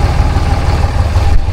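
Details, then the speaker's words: Diesel truck at idle after new batteries: deep, uneven lumpy beat with puffing exhaust, a misfire plus an exhaust leak; truck is underpowered. "Pretty clean truck, but you can hear she's got a little mist to her."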